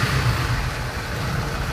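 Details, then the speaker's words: TVS XL100 BS6 moped after fitting a full replacement set (stalling on throttle traced to the side sensor): small single engine buzzes low and steady, light throttle blips, picks up cleanly with no stumble or cut-out; problem solved. "Set डालने के बाद जो कि गाड़ी problem जो है solve हो चुका है, जो कि देख रहे हैं, इसे दोबारा फिर से चला के चेक कर रहे हैं, देख सकते हैं।"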